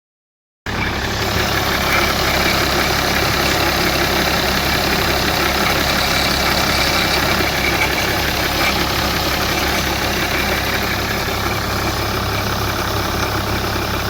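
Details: BMW E61 535d automatic, pre-LCI, diesel idling: dense, fast clatter with a raspy hiss from around the EGR cooler, newly noticed one morning; cause unknown, not confirmed.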